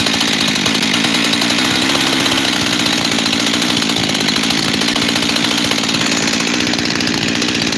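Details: Freshly rebuilt Husqvarna 372 XTorq chainsaw with new bearings, held high: raspy note that never settles to one steady idle, two idles; owner suspects a leaking transfer cover gasket, unconfirmed, and plans to remove and reseal it.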